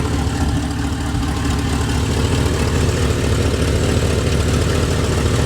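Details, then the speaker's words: 1988 Chevrolet Suburban 2500, V8 (believed 5.7 L), first start after six years' storage with new battery, smelling of fuel: deep uneven idle with raspy chuff on each firing pulse from a broken exhaust header. "Man, you can really hear that. You can really hear that broken header."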